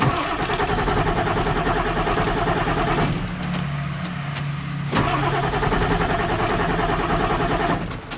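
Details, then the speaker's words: 1995 Ford F-series 7.3 Powerstroke diesel that sat two months: starter churns steadily, pauses, churns again, but never fires; crank-no-start, IDM communication error code, traced to a failed injector driver module. "all right so i'm gonna crank it still have a crank no start condition"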